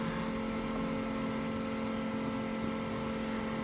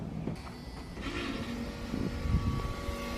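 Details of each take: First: 1986 Chevrolet C30 dually, LS swap, driver's side rear door window after motor replacement: truck off, running on battery only, the motor gives a steady even whir with no grinding or clicking, slightly slow but full travel. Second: 1986 Chevrolet C30 dually, driver-side rear door power window: window goes partway down, then motor only clicks over a low hum; suspected faulty window motor, owner suspects a stripped gear, possibly the regulator.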